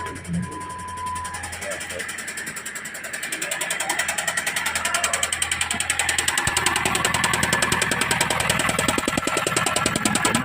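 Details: Jeep Compass 2.4L engine before a general overhaul: a steady, even knock of about three to four beats a second over the running engine, a clear internal engine knock.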